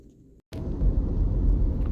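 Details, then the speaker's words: Jeep Cherokee test drive after installing replacement for failed drivetrain control module and clearing codes: smooth steady low rumble pulling away with no clicking or hesitation, no longer struggling to take off; drivetrain healthy. "I no longer hear it clicking and it doesn't feel like it's struggling to take off anymore."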